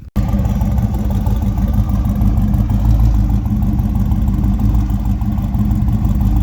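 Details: A supercharged 302 Windsor V8 with a non-intercooled Roots-style blower, during fine-tuning: a deep, steady, slightly lumpy idle with no knocks or misses. It runs smoothly.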